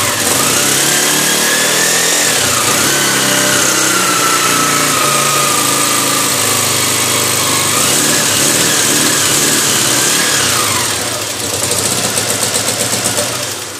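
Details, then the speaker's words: 125 motorcycle engine rebuilt after gearbox noise, valves adjusted, first start after reassembly: small single revs settling into a steady even beat, pitch rising and falling with throttle, nothing knocking or grinding; runs sound. "Galera, já montamos o motor aí. Vamos dar partida aí. Entregar a moto para o cliente."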